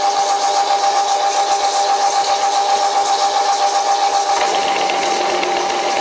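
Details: Old WW2 Fischer lathe on v-belt, topped with hydraulic oil, test cut, owner hoping the small motor pulley won't slip: sharp steady high-pitched squeal with buzzing rattle; heavy cutting chatter, cause not pinned down.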